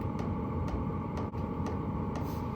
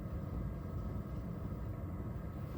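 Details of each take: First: Stock pulse-type fuel pump of a diesel heater running alone, sharp even ticks about twice a second over a steady fan hum, before sound-deadening; loud ticking fuel pump, annoying enough to disturb a night's camping. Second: Diesel heater fuel pump runs alone with a low, soft steady rumble and faint even pulsing; quiet, well-damped pump operating normally.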